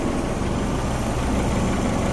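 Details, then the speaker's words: Honda Civic H22 engine idling roughly after reassembly and resealing (KS Tuned oil pan issue), with a dense low rumble that never settles. "Even though it's idling like crap right now."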